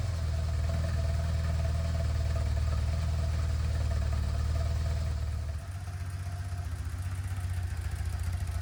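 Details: BMW R1200C after fuel pump replacement, no fuel leaks. A steady, low, even idle thump that dips slightly then settles; healthy idle.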